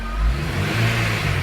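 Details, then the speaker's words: Honda Integra DC5 / Acura RSX base model revved in neutral: faint RPM-related whine persisting after alternator swap, power steering pump first blamed; cause was a worn A/C compressor bearing. "you can hear the whine of the revs go up and it's in neutral it revs with the same in neutral that's why I thought it could be the alternator"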